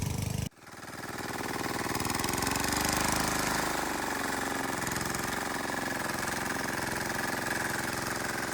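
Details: Wheel Horse 314H tractor with a swapped cheap Chinese diesel on its first test drive: the engine catches and settles into an even, quick clatter with no misses or knocks. Running healthy.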